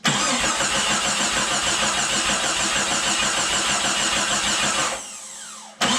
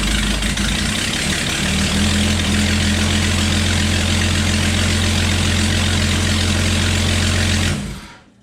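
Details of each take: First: Remanufactured 4.0 engine just installed in a Jeep Cherokee XJ, dry-cranked with the coil pack unplugged to build oil pressure, fast even starter churn with no firing; cranking normally, exhaust not yet bolted up. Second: Jeep Cherokee XJ 4.0 straight-six after swap to a remanufactured engine: steady idle with a sharp ticking puff on each exhaust pulse, still a bad exhaust manifold leak; owner then tightens the exhaust bolts further.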